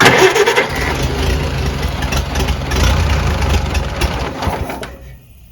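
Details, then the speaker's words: Farmall BN run for the first time in a long time after magneto kill-switch wiring, cold, in neutral. It fires and runs raggedly with uneven beats, then dies. Hard starting, magneto timing suspected; the magneto was adjusted. "might be timing i don't think she's that cold well she won't fire a little bit"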